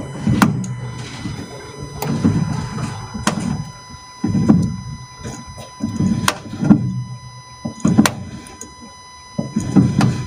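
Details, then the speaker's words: Front suspension with the car practically stopped and the steering wheel turned; repeated low clunks and creaks from worn damper top mounts, a known fault across the Fiat range. "so the customer says he is turning the steering wheel with the car practically stopped you can hear a clunking noise"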